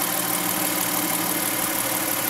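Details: Car with DIY dual-fuel CNG conversion, idling on gasoline after switching back from CNG: steady, even idle with smooth hum, no knocks, misses or surging; engine runs cleanly.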